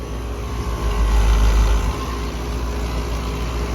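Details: Outdoor AC unit installed September 2021, noisy for a while: heavy droning low rumble with a steady hum, swelling louder at moments; owner says it is the compressor, not vibrations.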